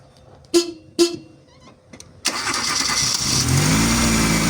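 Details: Chevrolet Aveo with cold-start trouble and backfiring, after replacing the CKP sensor: short crank, engine catches at once and settles to a steady even idle; normal start.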